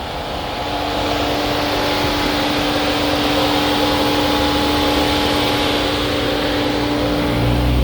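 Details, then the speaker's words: Mercedes-Benz C300 with water damage and lost CAN communication: steady roaring whoosh with constant tone over idle; radiator fan kicks in at full speed because modules lost their signals. "now in a few seconds you're going to hear the fan will kick in here"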